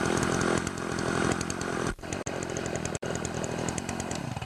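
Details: Makita DCS 400 chainsaw (Dolmar-made) after carburetor adjustment and cleanup: a steady high-pitched scream while cutting wood, with clean, even revs and no bogging. Running properly.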